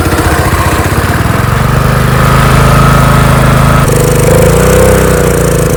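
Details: Small power washer engine after governor repair, carburetor still leaking gas, running on choke with too much fuel and burning residual oil: surges and shifts speed twice with a lumpy, uneven beat; running rough, cause not confirmed.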